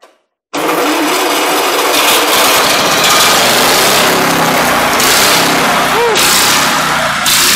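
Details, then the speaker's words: Antique buzz saw rig's two-cylinder engine, first start after sitting for years, mouse nest inside, spark confirmed at the points: loud, rough, uneven running as it blows out rust, first start after long storage. "well she blew out a bunch of rust she was a little dirty inside from sitting i see uh some mouse nest here but i think it'll run"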